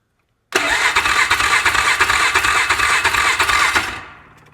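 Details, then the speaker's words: Flipped UTV on its first start after repairs using Chinese eBay parts, running with a quick, steady light tapping over idle that seems to come from the top end. The valves looked normal; the cause is unconfirmed. "Did y'all hear that tapping? It's not a good sound, but it did sound like it was in the top end."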